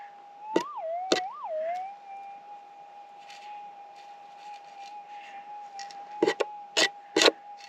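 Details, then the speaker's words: Minelab GPX 6000 metal detector in the field: steady threshold hum broken by two quick rising-then-falling warbles over a very small target, confirmed as a tiny piece of screen wire. "whatever this is mighty small [Music] sounds like a little bitty piece of screen wire to me"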